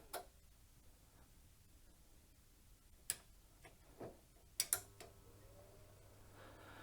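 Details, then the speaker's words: Valor flame-effect electric fire with a repaired control board, powered through a dim bulb tester: sharp clicks and low hum as the heater relay pulls in; too little current through the bulb drops supply voltage and trips the MCU. "That would have been the dim bulb tester kicking in there when I switched the heating element on. That's when the relay clicked in. So, obviously there wasn't enough current coming through the bulb here. So, the power dropped and the and the tripped the MCU out."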